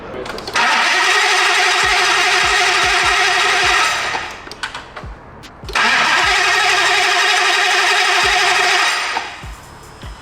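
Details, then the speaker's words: Hellcat Redeye-swapped Dodge Viper, fresh dry engine: with key left on the starter cranks by itself and won't shut off, battery voltage dropping toward 9–10 V; long four-second cranking bursts with sharp clicks between, engine never catches. "Did it stop itself? No. I put it on the on position and it was cranking by itself. Well, let's see if it starts."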